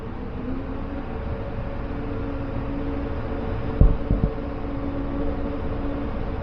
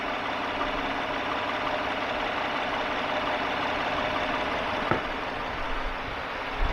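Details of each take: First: 2015 Chevrolet half-ton pickup idling with a dead miss on cylinder two, an uneven chugging rumble; plugs, wires, coil and injector already replaced elsewhere, relative compression test traced it to a worn valve lifter and camshaft. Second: 2015 Chevy half-ton pickup V8 after repair of a worn valve lifter and camshaft behind a cylinder 2 misfire at idle; after idling a long while misfire counters stay at zero, smooth even beat. Normal idle.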